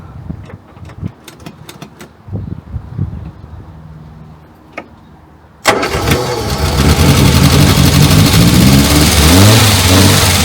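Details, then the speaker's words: Morris Minor 1000, restarted after a long break, with the spark plug done and a battery booster: clicks, then steady cranking at about four turns a second with ragged firing that never catches; it nearly starts. "Well, nearly. She is trying."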